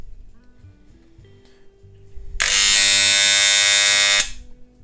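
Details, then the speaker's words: Moser 1400 hair clipper with its tension adjuster screw over-tightened: loud, harsh metallic buzz as the armature slaps the coil. Fix is to back the adjuster off to the minimum position where it runs without overtones. "hear that a metallic sound is already starting, the whole position adjustment from this regulator is that we need to select the minimum position at which the armature will not cling to the body of the coil and will work without additional overtones"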